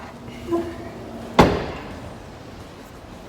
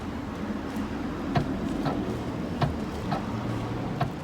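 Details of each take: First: 2008 Ford Focus tailgate being closed after fitting a new lock to fix a boot that would not open, with the tailgate panel still off: one solid thud, catching first time with no rattle. The latch engages properly. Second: 2008 Ford Focus tailgate pressed via the boot button: faint regular clicks from the lock actuator, proving power reaches the latch, yet the tailgate won't open; the lock's internal motor plastic gearing has failed, fixed by replacing the lock.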